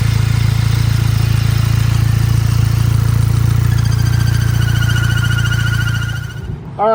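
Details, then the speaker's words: 2010-2014 Volkswagen GTI (P2187) with torn PCV diaphragm: irregular, hunting, lumpy idle that almost wants to die, with a loud thin whistling vacuum leak heard under the hood. "the engine will sound like it's not smooth and sounds like it almost kind of wants to die but also there's an under indicator right now the car is running rough but under the hood will go and you'll hear like a really loud Whistling noise"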